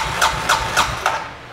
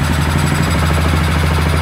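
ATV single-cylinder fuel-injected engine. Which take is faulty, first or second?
first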